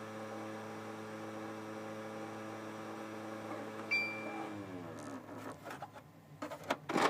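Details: Xbox 360 Slim with an old game disc: steady electrical hum, then uneven scraping bursts and rapid clicking as the laser moves back and forth very fast; DVD drive slight grinding while seeking.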